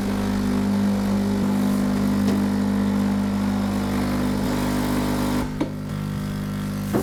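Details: Sage (Breville) Oracle Dual Boiler, brand new, first setup: a steady even buzzing pump hum with a clear mid tone as it primes and draws water to fill both boilers during a software update; loud fan also running; normal.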